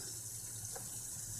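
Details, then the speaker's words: BMW M57 diesel, first key-on after engine install, not yet started. Gearbox in neutral, heater at max, fan at minimum to bleed the system. Quiet steady hum with water rushing: the electric coolant pump is running normally, pushing air out. "Ну да, это гудит именно насос. Именно насос системы охлаждения."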